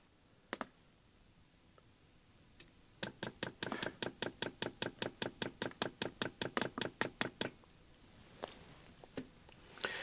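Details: Chinese diesel heater fuel pump retested: crisp even ticks about 2.5 per second in a quiet room, pumping in the right direction; pump pulses but moves no fuel, failed.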